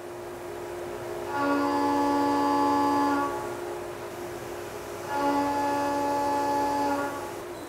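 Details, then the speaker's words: CNC mill stable cut following the chatter demonstration, with only the spindle speed changed: two clean passes, each with a steady, even tone and no rattle; stable milling without chatter. "we'll next complete a stable cut and you will hear the difference"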